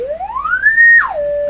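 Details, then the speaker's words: General Electric C600 radio after its old wax audio capacitors were replaced, run through a dim-bulb tester into an external speaker. A test tone glides up, drops, then holds steady with no hum or buzz, so the audio amplifier stages are healthy. "so nothing wrong with the audio range and actually the auto amplification and thus amplifiers could and I didn't hear any funny hum or buzz or anything at"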